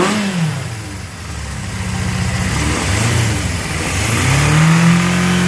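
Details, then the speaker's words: Honda CB750F Super Sport on its third start after freeing a seized motor and rebuilding the carbs, jump-started: climbs and falls smoothly through several blips, even exhaust note, no knocks or misses, running better each time; normal revving. "but this is the third time I've started it and it's running better each time I Duncan tells me it it's gonna be alright sounds good"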